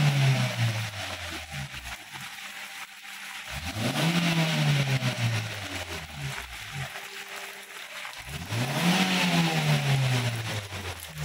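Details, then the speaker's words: 2014 Toyota Avanza 1.3 after Blackcore catalyst maintenance, cleaning and retuning: the engine blips up and settles back three times, smoothly and quietly. Only injector sound is heard, with no engine friction noise; it sounds healthy. "suara mesin hanya terdengar suara injektor pada suara mesinnya hilang yang kedengarannya injektor suara gesekan mesinnya enggak ada"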